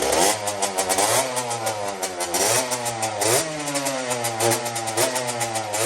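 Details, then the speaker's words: Custom Honda TRX90 with rebuilt CR85 two-stroke engine on its third heat cycle, jetted with 40 idle and 110 main: crackly quick revs sounding dry and thin on pickup, judged too lean, to be richened to 45 idle and 130 main. "We're gonna fatten her up a bit, boys. It's a little too dry for my liking."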